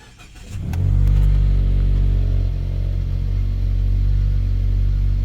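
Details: 2014 Mazda 3 engine at cold start: it fires up and flares, then idles with a slightly uneven, lumpy pulse; misfires trigger on startup and then go away.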